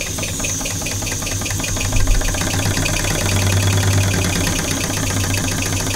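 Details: Old small model steam engine, not run in about 20 years, just come up to pressure: quick soft chuffing, roughly three or four beats a second, over low hiss and rattle; runs freely, normal running.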